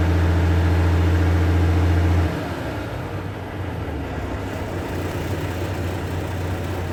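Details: Volvo truck after air dryer leak repair, started up at idle: steady diesel idle with compressor loading, then a sudden drop in tone about two seconds in; air system charging normally toward green.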